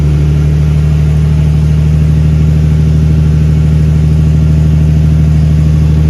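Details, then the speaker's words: Big-turbo Nissan R32 Skyline on third start, running a self-adjusted basemap, not yet tuned, in neutral after chasing coolant and power-steering leaks: deep, even idle with steady low drone, no knocks, misses or hunting; AFR slightly rich, oil pressure 58; normal idle. "so that's the car as she stands let's have some uh tuning to work out obviously uh idle's pretty okay"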